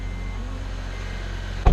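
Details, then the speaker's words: Honda 2.4L i-VTEC engine idling after serpentine belt replacement: a steady, even low hum with no chirp or squeal, just one brief bump near the end. The earlier belt squeak is gone. "the squeaky noise is gone. What's going on, guys? This is after I have changed the serpentine belt."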